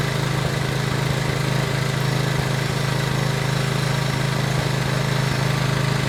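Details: PowerBoss 5500 W generator with Briggs & Stratton 9.5 hp OHV engine, rebuilt from parts (earlier low compression, suspected stuck valve), now running steadily on primed fuel; even single-cylinder beat with no misses or surging, healthy.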